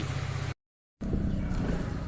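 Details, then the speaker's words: Kymco 150 scooter after replacing a broken bearing that caused loud scraping engine noise: a steady, low, even putter at idle with no knocks, rattles or grinding; normal idle, noise fixed. "yan yan ang original tunig niya wala na wala na yung mga kumakaskas dahil sa bearing na basag niya"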